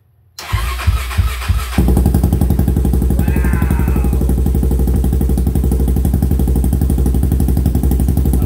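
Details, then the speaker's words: 1999 Honda 400EX single-cylinder four-stroke, rebuilt after sitting in pieces for decades, first start on carburetor fuel: cranks briefly, catches first try and settles into a steady, even idle with quick regular exhaust beat; normal start and idle. "all right it runs i feel like i'm starting to get pretty good at this motor building thing that's the second one in a row that has started right up"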